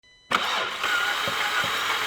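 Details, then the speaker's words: 2007 VW Jetta GLI 2.0 turbo FSI, owner reports no-start and suspects broken timing belt (engine has belt and chain); starter spins quickly and evenly with no compression strokes and no catch: lost compression from broken timing chain. "The owner stated that the car doesn't start and they think it might have a broken timing belt."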